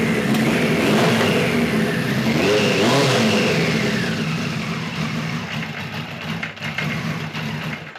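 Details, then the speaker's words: 1973 Kawasaki Z1 900 four: revs surge and sag with ragged popping and sputtering, then die away; points sparking heavily, owner suspects an electrical fault with current loss and voltage drop. "I believe we have an electrical issue going on as far as uh amperage and current loss as far as voltage drop goes"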